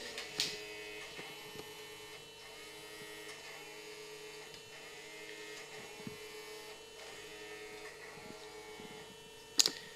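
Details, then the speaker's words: 1994 Philips VCR with a cassette stuck inside, powered on: faint steady loading motor whine with a few light clicks, nothing engaging, shuts off after seconds; main loading belt found missing. "and if we plug the VCR to the power we can only hear the loading motor running but nothing happens"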